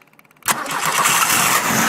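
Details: Cold start of a performance VW engine with a big cam, Kadron Solex H40/44EIS carburetors, on a run stand. It fires almost instantly and settles into a fast, slightly loping, shaky cold idle without stalling; a clean cold start.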